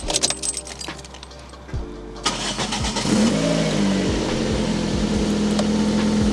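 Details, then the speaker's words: 1999 Toyota Corolla, just after a quick crank and start: smooth, steady idle with no ticking or knocking, but a regular puffing tick about four times a second from a huge exhaust leak escaping under the car. "But the main thing is we can hear is there's a huge exhaust leak coming from under the car. You can hear that sort of, the sound of it just escaping through that hole."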